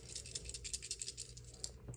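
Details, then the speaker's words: Electrolux fridge EI11BF25LS, compressor tries to start and hums, not cooling: shaking the compressor start relay gives a loose gritty rattle; broken ceramic disc inside start relay, relay replaced. "wiggle it can you hear that it has a little small disc inside ceramic disc that disc breaks over time and then it doesn't work anymore"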